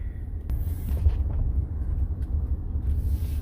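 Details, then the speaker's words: 2015 Ford F-150 Platinum EcoBoost after the driver-side IWE replacement, driving in 2WD and 4WD around a parking lot while turning the wheel; only an even rolling rumble with no clicking or chatter; the hub sounds fine. "see if it starts chattering so far nothing kind of moving the wheel around a lot i don't have any issues"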